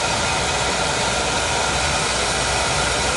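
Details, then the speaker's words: Oil boiler burner that had run out of oil, bled and running on a jumper: steady heavy roar with strong hiss, no pulsing, not choked; sounds like an oversized nozzle, to be swapped for a smaller one. "sounds like a monster sounds like a big nozzle y'all doesn't seem to be choked so that's good"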